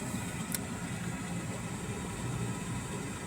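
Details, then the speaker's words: Borrowed car that had an earlier issue, idling after running almost 20 minutes. The battery light is off and the alternator appears to be working. Steady, even low rumble with no knocks or squeals: normal idle. Owner thinks the problem was a fluke, possibly a loose connection. "Hear that? The engine's working. So, I'm thinking it was just a fluke."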